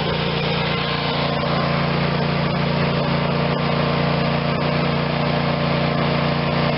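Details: Craftsman YS4500 tractor, Briggs & Stratton 22hp Intek OHV twin, after full carb cleaning and intake reseal fixed running only on choke: steady even hum, constant pitch, no stumbles or surging, running like a new machine.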